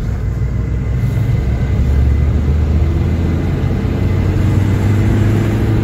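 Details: Maruti Swift on a road test after a full suspension kit replacement with new original parts, fixing an underbody khat knock and steering shake: only a smooth road rumble while driving, no clunks, knocks or rattles; suspension quiet.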